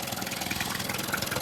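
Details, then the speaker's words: Yamaha 9.9/15hp outboard after fitting a new primer bulb (now holding pressure): an even, quick putter with no stumbles or misses. Normal smooth idle. "So there's pressure in the bulb. Engine's ticking over nicely."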